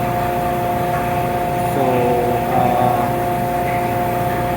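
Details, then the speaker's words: Self-priming transfer pump moving waste oil into a 215-gallon tank for a LANAIR MXD300 waste oil heater: steady even electric hum, clean tone, no surging or knocking; primed and pumping normally. "So the setup is working well."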